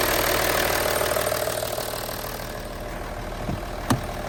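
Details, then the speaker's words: Imp engine briefly run with no coolant; even idle with a light, regular valve tick of about three per second and no heavy knock. A friend warned the cams wear out, but the valvetrain sounds fine. "But it does sound like they're all right. I can't hear anything bad."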